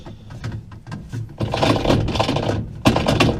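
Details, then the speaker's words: Top-loader washing machine unplugged, agitator turned by hand: loose, irregular scraping clicks, about four a second, moving freely with no catch; something broken inside the agitator. "how my agitator is freely moving and making the sound we've got something broken inside now the washer will function without the agitator working properly"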